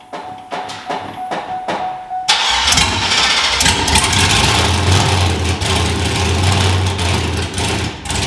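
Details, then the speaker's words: Monster truck school bus V8, sat all winter, started on poured-in gas with no exhaust fitted: starter whirs, engine fires and runs raw, very loud, crackly popping, uneven idle on open headers. "yeah so as you could tell she was nice and loud so now we're looking at options for the Mufflers"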